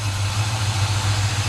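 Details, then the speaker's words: 1957 Chevy Bel Air after adding transmission oil; deep, steady low rumble with even beat, no misses or knocks; runs good, idling smoothly; coolant leak still to find. "right on runs good"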